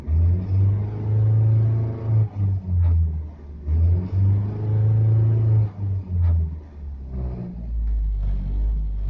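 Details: Rover 214SLi K-series petrol, rough between 1000 and 2000 rpm with cabin vibration and poor throttle response below 2000 rpm, better above: low lumpy rumble with uneven pulsing and dips, smoother when revved; owner suspects misfire, unconfirmed.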